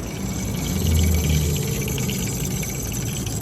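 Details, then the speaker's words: Weathered Trane rooftop package AC unit during maintenance: steady blower roar with a faint high whine, likely the belt side hitting the motor sheet; loose blower belt, to be tension-adjusted. "ound is probably the sound of the side of the belt hitting the motor sheet so i'm going to go ahead and adjust that"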